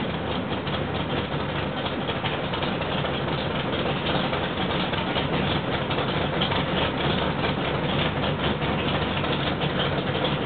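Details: Rebuilt L88 427 Chevy big-block, hydraulic roller cam, 9.6:1 aluminum heads for 91-octane pump gas, timing set at 36°, running on the stand: loud, steady idle with an even rumble, no tapping or misfire; healthy, like an original L88.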